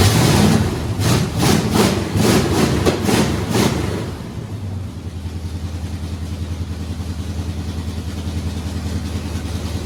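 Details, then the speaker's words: Supercharged V8 just swapped into a Blazer, distributor reinstalled after the engine had been turned while torquing the converter bolts: steady cranking pulses for four seconds, then it catches into an even low idle; timing may still need adjusting. "That was what we were looking for. And obviously I only put in the distributor. Turn it a bit. Might need some more ignition. might need less, but at least it starts."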